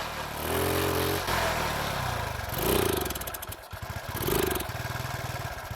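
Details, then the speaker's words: Carbureted engine with rich mixture (black sooty plug), idle screw missing washer and rubber ring replaced from donor: sputters and surges unevenly, revs sag as throttle opens, then stalls; no real change. "ничего особо не изменилось при добавлении газа двигатель заглох"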